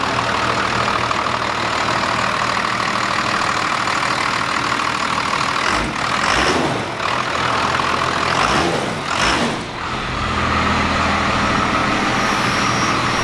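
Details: First-gen 12-valve Cummins diesel truck idling after Pusher system install for more boost; steady even clatter with brief dips from nearby handling, no knocks or misses; runs great.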